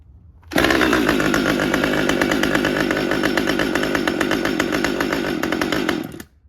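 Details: Husqvarna T540xp Mark III chainsaw, about 6 months old with performance work: restarted without touching the throttle, it runs rough and uneven for about five seconds, then dies on its own, repeatably; won't hold idle, cause not confirmed.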